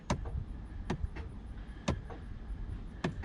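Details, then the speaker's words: 2016 Ram 2500 HID projector headlamps: a single soft mechanical thud each time the high beams switch off as the internal shutter/lens drops. This is normal, heard while the BCM was reconfigured with AlfaOBD to remove the HID conversion resistors and relay harness. "these hid projectors will drop the lens on the inside when you're in high beam let's see if we can hear it you'll kind of hear a thud when they turn off"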